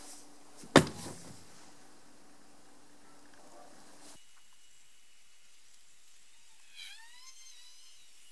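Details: Electric car (Tesla Model 3 discussed) switching off: one sharp clack in near silence, then a faint thunk as the background hum cuts out; the battery contactors opening normally at power-down.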